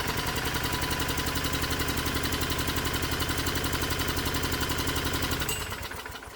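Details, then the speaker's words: Hot-bulb semi-diesel conversion of a lawnmower engine with spark plug disconnected and stack cold at 98°F (37°C): steady cranking, about four chugs a second for five seconds, never fires; compression too low to auto-ignite without heating the stack (about 900°F). "Nope, nothing. And that was to be expected. This engine doesn't have enough compression to auto-ignite the fuel."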